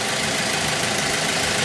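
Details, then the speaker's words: Car engine at smooth, even idle just after an oil change, with a steady hiss-like hum and no knocks or ticks. The oil pump had purged air at start-up, and the engine purrs but can't be revved. Normal idle. "Listen to that thing purr. Too bad I can't rev it."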